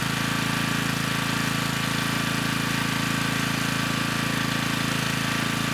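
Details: Generac 3500 W generator, GN220 engine, after broken carburetor jet was replaced: steady, even low drone with a smooth regular firing beat, no misses or knocks; started with choke off, little smoke, running normally.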